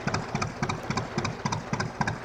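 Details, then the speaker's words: 1950s Ailsa Craig RL2 twin-cylinder, raw-water-cooled vintage narrowboat diesel, just started and put in second: slow, steady twin thump with a light even clatter, every beat on time; normal running. "that is the sound of the canals"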